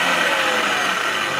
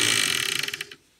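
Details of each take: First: Clatronic KM2718 1000 W kitchen mixer after repair of a loose, slipping drive belt, with a metal disc added to keep the belt in place: steady even motor whir, light constant rattle, clean stop; normal running. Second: Clatronic KM2718 1000 W stand mixer, belt intact: high motor whirr with rapid ticking that slows and cuts out as the belt rides up off the motor sprocket; fixed by fitting a larger metal disc over the sprocket.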